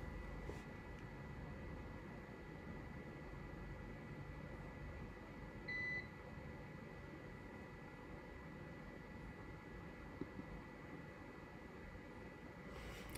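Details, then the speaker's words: Mecer 2000VA line-interactive lead-acid UPS on battery during power outage: short high-pitched alarm beep over low room hum. "during this video you should be able to hear the ups i'm using beeping in the background and hopefully we'll get that turned off in a few minutes"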